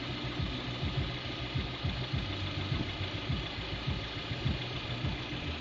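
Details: Lada Priora 21126 with bored block, new pistons and rings, under 1,000 km: light ticking knock about 100/min at warm idle that comes and goes, severe knock when cold until warm; owner suspects camshafts, cause unconfirmed.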